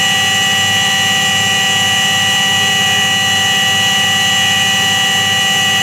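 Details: Washing machine spin with a steady hollow hum and a high, even roar throughout, typical of a worn drum bearing.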